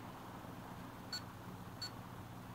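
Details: HP Pavilion dv7-2206TX laptop: two short, high beeps about 0.7 seconds apart over room hum, not from the speakers and occurring randomly. The cause was the failing hard drive, and replacing it fixed the beeping.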